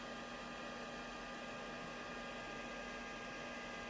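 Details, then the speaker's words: JMAZ Radiant PAR Duo LED light fixture, microphone about 6 inches away, all LEDs on: active cooling fan near maximum RPM gives a steady soft airy rush with a faint even hum, no coil whine or ticking; normal fan noise. "Again, not a super loud fan, just definitely a fan sound, but not a annoying coil whine that you get with some budget-friendly light fixtures."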